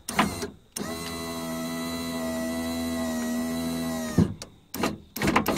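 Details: Nissan Patrol driver's door power window after fixing a dry solder joint in the relay (commutator fine): a clunk, then a steady motor hum for about 3.5 seconds ending in a thump; the window runs down smoothly and stops.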